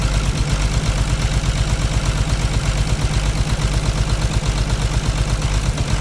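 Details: C13 heavy diesel with heavy smoke, misfiring at idle: deep lumpy beat about two pulses a second, valve cover off, injectors loosened one by one to find which cylinder's injector is faulty.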